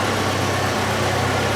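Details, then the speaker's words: 1981 Alfa Romeo Spider Veloce, just started after years in storage and fuel and ignition work, timing slightly advanced: steady even idle with a smooth low rumble and no misses, knocks or ticks; normal idle. "we'll uh recharge the timing a little bit and see if we can affect the idle a little bit it sounds pretty good to me"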